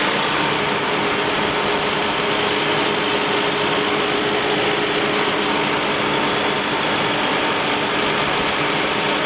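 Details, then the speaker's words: 2001 Toyota Highlander drivetrain: steady whirring growl with faint constant tone; differential suspected, long-leaking and possibly low or empty on fluid; four wheel bearings already replaced and transfer case blamed, but tires found to be the real cause. "that we are listening it's not coming from the wheel bur it's coming from differential I on I here [Music] on the noise is coming from the differential I'm going to get"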